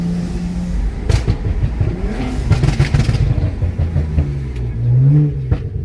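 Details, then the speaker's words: BMW 335i (N54) after boost leak repair, oil change and transmission change: hard pull breaking traction in third and fourth gear, tire chirp, engine note climbing cleanly with strong boost; normal acceleration. "Wow. Jesus Christ. The car literally braking traction in. First it brake traction in third."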